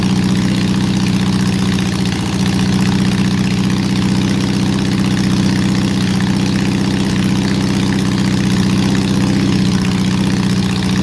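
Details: Honda CB750 restoration, first running: a very quiet, steady idle with a lumpy, uneven beat as cylinders drop out; a large misfire, and a vacuum leak is suspected but not confirmed.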